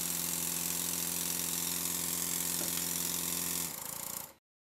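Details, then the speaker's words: Rebuilt Stuart Double 10V steam engine running on compressed air to both cylinders at a faster speed; fast, even chuffing with a bright airy hiss and no knocks, running smoothly. "i turned on the compressed air to the other cylinder and ran the engine a little bit faster here to make sure there aren't any problems"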